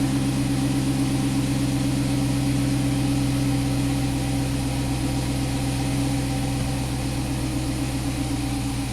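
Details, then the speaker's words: 2011 Chrysler 300 after cam and head work, misfire (P0300) resolved with both banks now in closed loop: steady, even idle with a smooth low hum and no stumble; runs much better. "we can see that our have it on both in closed loop now engine runs ten times better"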